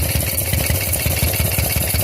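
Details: Shovelhead Harley-Davidson V-twin: lumpy idle with a steady airy hiss over the thumps; the hiss was found to be a leaking pushrod tube base seal.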